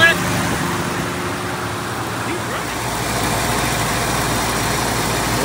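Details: 1969 Mercury Cougar 428 Cobra Jet V8 just after carburetor reinstalled with choke set; fires and settles into steady even idle, no misses or knocks, a small leak noted nearby, some outside noise; running normally.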